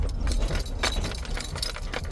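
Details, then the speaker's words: Nissan Sentra interior: sharp jingly rattles over low road rumble every time it hits a bump or turns; unsteady interior rattle over bumps. "every every time you hit the bump or making a turn you make that loud squiring or rattle noise"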